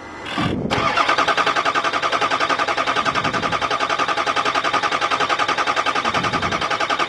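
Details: 2005 Ford F-350 6.0 Powerstroke diesel that died at a traffic light: starter cranks steadily at about 3.5 compression pulses per second for six seconds, never catches; oil is seen coming up, so low-pressure oil side is fine.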